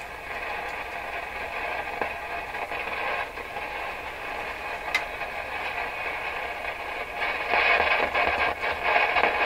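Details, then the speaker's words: Rogers 11RA651 shortwave tube radio, on shortwave with the volume turned down: hissy static with irregular crackles and pops that jump out when tapped. Suspected loose wire underneath, possibly a tube grid cap problem. Intermittent crackle. "this sounds like a loose wire or something underneath that's what it sounds like to me"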